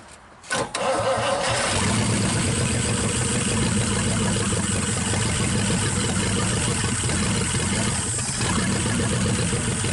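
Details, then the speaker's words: 1963 Pontiac 389 V8 first start, on jump box, running on 2-cycle gas: short crank, fires quickly and holds a steady, even idle with smooth rumble, no knocks or misfires; normal idle. "well I'm gonna say we got lucky again I've had pretty good look about these things I don't know what it is but now we are running this on on 2-cycle gas"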